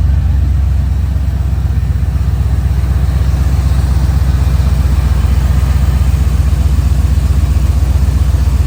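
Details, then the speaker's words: 1988 Corvette C4 (L98 V8), smog pump deleted, likely modified exhaust, new master cylinder, cold start after battery hookup, GoPro filming; loud, deep idle with steady, even throb and heavy low rumble, no misses or knocks; normal. "Also gonna build a little GoPro there, get some action. Give this thing a cold start."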